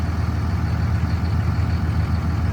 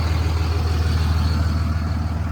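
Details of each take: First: 2006 Ram 3500 3rd-gen Cummins common-rail diesel idling on EFI Live custom tune after switching off tune 3 (12-valve tune without pilot injection): deep, steady idle with soft even beat, second-gen rattle gone, sounding like a normal 3rd gen. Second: 2006 Ram 3500 3rd-gen Cummins diesel at idle on the NRE EFI Live tune 3 (12-valve tune) with pilot injection disabled: a hard clattery knock in every firing pulse, a second-gen-style rattle that goes away when the tune is switched off.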